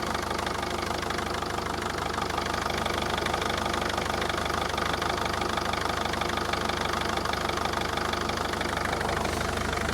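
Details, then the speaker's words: Mercedes Vito 638 2.2 CDI diesel, manual gearbox, engine mounts already replaced: idle has heavy regular shudder about three beats a second over diesel clatter, whole engine shaking; suspected worn damper/dual-mass flywheel. "Давайте теперь посмотрим, как ведет себя двигатель. Слышите? Видите, как его трусит? То есть ходуном ходит весь двигатель."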